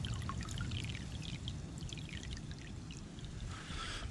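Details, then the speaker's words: Basement sump pump discharge outlet into ditch after clearing an iron ochre (iron bacteria) clog with a Clog Hog pressure washer hose: strong, steady full-volume gush with no sputter, versus a trickle before the fix, when the pump kept running. "you can see it was really coming out quite a bit of volume there not like the first time when i came out here and it was just trickling out before we fixed it"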